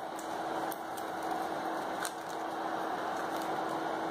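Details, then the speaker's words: PC power supply tested by jumping a wire to black to see if it's dead: faint steady hum, constant pitch, no rattle or scraping; cooling fan spins and supply works normally. "Aqui eu liguei a fonte, ó. Não sei se vocês estão conseguindo ver o cooler rodar aí, mas vou colocar aqui algo para ilustrar que ela está rodando."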